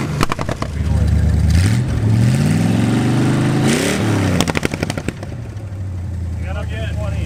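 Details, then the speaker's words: V8 in an abandoned Plymouth Satellite muscle car, first running in about 35 years, now installed: steady deep idle, clean rev up and back down between loud clunks, pulls evenly and sounds healthy. "it's hard to keep working on this because I enjoy the engine running so good"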